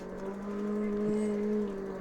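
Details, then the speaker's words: SixThreeZero EVRYjourney 500 W hub-motor e-bike climbing a steep hill on throttle only, speed falling from 8.7 to about 2.3: steady low hum with a higher tone, a low grinding growl as the motor strains under heavy load. "oh you hear that motor kind of grinding it's it's kind of a low growl got down to about 2.3"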